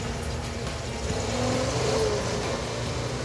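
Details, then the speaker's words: 1967 Ford F250 4x4 V8 after rotor and cap and distributor fixes, fuel delivery ruled out: even, steady beat at constant speed with no misses, best it has ever run, though still not right and carburetor suspected next. "like that keep it running that's the best that's ever run"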